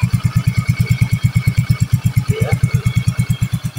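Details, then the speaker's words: Yamaha Soul GT 125 / Mio M3 scooter after installing a steel-lined cylinder block: steady even low thumping at about three beats a second with no knocks or misses, no exhaust smoke. Smooth, healthy idle. "Tidak ada pengabulan di knalpot, dan hasilnya sudah cukup sangat baik sekali."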